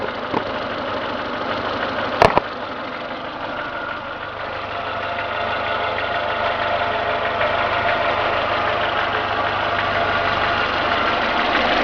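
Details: Renault Logan at steady idle: light, fairly regular tapping about three per second over the engine hum, appearing once warmed to two gauge divisions and absent when cold; engine knock of unknown origin.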